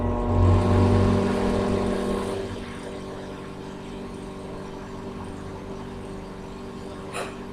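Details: Microwave repaired for a faulty door switch that left it running with the door open, now running a 30-second test with water: a steady low hum and soft fan whir, even and unbroken, heating normally.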